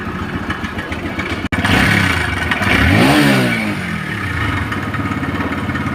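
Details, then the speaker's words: TVS Rider motorcycle: fast, uneven metallic clatter over the engine, swelling with revs; worn timing chain rattling, mostly due to bad chain adjustment setting. "यह जो TVS rider की सुबह में बताया था आवाज timing चैन का ये चैन का टेस्ट टाइमिंग चैन तो पूरी खत्म ही हुई"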